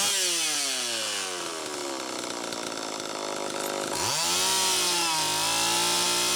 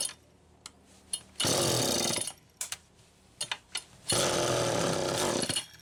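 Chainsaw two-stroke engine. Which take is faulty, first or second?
second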